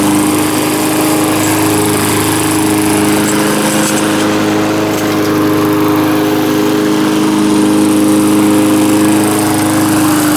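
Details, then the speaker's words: Small single-cylinder mower engine, earlier a no-start, now running, with the muffler loose: steady, even drone at one constant pitch with no misses or surging; running smoothly and healthily. "seems like it's running good now though someone messed her up"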